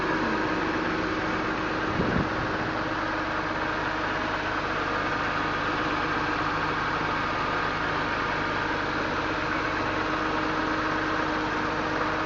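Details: 2001 BMW M3 straight-six with over 200,000 km, cold start after a week sitting, heard under the hood: smooth quiet hum with no Vanos ticking, knocks or misses; valve clearances were within spec at last inspection.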